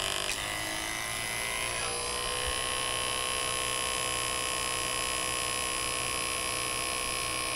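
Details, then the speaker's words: Hercules 2 CFM two-stage vacuum pump evacuating HVAC system, Schrader cores removed: starts then steady even high-pitched drone, no knocking or surging; normal running. "it's already pulling to 18,000 so we'll see I open that gas Val and it is shooting down real nice"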